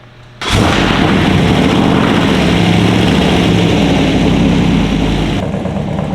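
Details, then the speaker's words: BMW E46 with LS V8 swap and unequal-length headers, after all checks done: fires up and settles into steady even lumpy V8 idle with deep exhaust throb, no knocks or misses; sounds much better than the previous night. "sounds a lot better and like that I'm very very confident it sounds totally different from last night kind of sounds like correct to what you would think in unequal lengths manifold LS would sound like"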